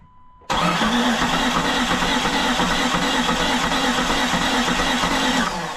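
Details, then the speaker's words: 1999 Jeep Cherokee XJ, six-cylinder, bought as a parts truck and not running: starter spins freely for five seconds with a lumpy cranking beat, some compression strokes weaker, seemingly compression on only four of six cylinders; never fires, not locked up. "that's interesting that's spinning really nice it sounds like it's got compression on like four out of six cylinders"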